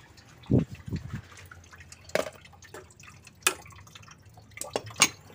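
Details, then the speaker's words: Honda Civic Wonder, engine off: irregular drips and splashes as coolant pours out from a leaking water pump; rough engine noise also noted: coolant leak. "Oh ternyata kebocoran dari Waterboom Ya Bro dari waterboomnya ini yang bocor zat tadi juga suara mesinnya kasar juga"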